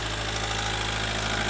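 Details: Ford Galaxy Mk4 2.0 TDCi diesel, previously non-running, idles with a steady hard injector knock that quietens as injection corrections are relearned during a diagnostic service procedure, before a DPF regeneration; no smoke, clean smell.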